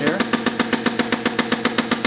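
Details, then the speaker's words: Inverted hit-n-miss engine on compressed air with a quick-release dump valve, running wide open at about 100 psi in straight four-stroke mode without its governor. Crisp, even exhaust puffs at about seven a second; smooth, healthy running. "that's running wide open on about 100 lb pressure of air slow it down a little bit"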